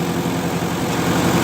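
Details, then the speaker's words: 1958 Oliver 550 gasoline tractor idling indoors while adjusting distributor for a nice idle; fast idle with slightly uneven, hard-edged beat, ignition timing advanced too far. "That's advancing it, and now we've advanced it too far. So the sweet spot is somewhere in between here and here."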